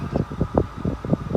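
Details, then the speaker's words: Volkswagen Golf 1.4 L turbo inline-4, 147 hp, new: on shifting into reverse, short whooping whir pulses from the rear corner, about five in 1.5 seconds; owner suspects a hideaway reversing camera mechanism; whirring noise when shifting into reverse. "decide to put it in reverse, it makes like this weird noise. I don't know if you could hear that, but it made this weird noise. And I don't know what that is. It almost sounds like a disc player, and it's coming from the back corner back there, somewhere back there."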